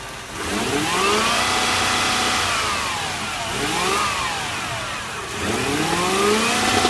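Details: 1UZ V8 at idle with several revs: the engine blips up and settles back, with an uneven, lumpy beat between revs. Rough idle, cause not stated.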